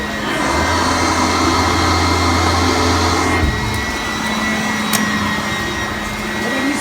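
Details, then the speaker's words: Upright vacuum running on carpet with its brush height set too low: thin high whine over a strained hum, motor struggling and not working the carpet; raising the setting back to 2 made it much quieter and smoother. "Do you hear it lower? Yeah, you can hear. You can hear it whining. I think it's struggling a little bit. It's not beating the carpet or working the carpet."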